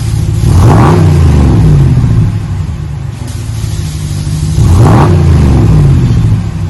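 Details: 2020 Ram 1500 Big Horn with a new single chamber V-tube muffler, 5-inch black tips, resonators kept, stock front and factory cats. Two clean throttle blips, deep even rumble rising and falling, no rasp or leaks. Normal exhaust note.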